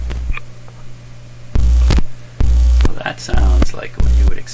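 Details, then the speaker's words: Clairtone console stereo with one phono channel not coming through: a loud low mains hum cuts in and out in half-second bursts as the lead touches the phono input. "okay i'm gonna put a clip lead on there continuous hum going"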